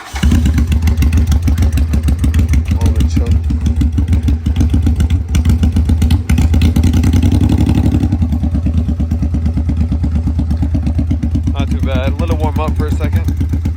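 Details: 1984 Honda Shadow VT500 V-twin that previously ran only on the rear cylinder, fixed with a new ignition coil: loose, lumpy beat idling steadily on both cylinders while warming up, no misfire gaps. Sounds healthy.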